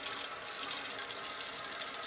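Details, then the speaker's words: Toilet tank refilling with new Fluidmaster fill valve, refill tube aimed at the inside wall of the overflow tube so it fills more quietly: smooth steady hiss with no sputter or gurgle; fill valve working normally after replacement. "I just aimed this so that it's hitting the side the inside of the tube rather than going straight down so that it's more quiet as it feels"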